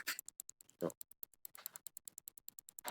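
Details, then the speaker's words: Old front wheel bearing from a Yamaha NMAX New spun by hand: dry uneven ticking about eighty a minute with gritty catches, rusty with no grease left, unlike silent new bearing; worn wheel bearing, replaced. "ada bunyinya ini harusnya enggak enggak boleh kayak gini bandingin sama yang baru ya ini yang lama yang baru gak ada sama sekali"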